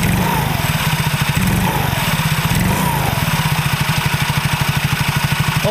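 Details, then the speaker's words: Soul GT automatic scooter, revved with the microphone aimed at the rear transmission (gearbox), which had knocked "klethak" under throttle: it now blips up and down smoothly with a steady low putter and no clunk; the noise is gone after repair. "Nah jadi bisaar suaranya Udah gak ada suara kayak tadi"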